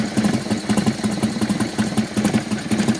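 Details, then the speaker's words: 1996 Harley-Davidson Softail EVO V-twin idling: lumpy idle with a loose metallic rattle on each beat, about two a second, like a metal ball rolling around inside the engine. Cause not identified. "that sounds like there's a metal ball rolling around inside my engine ah that doesn't sound good"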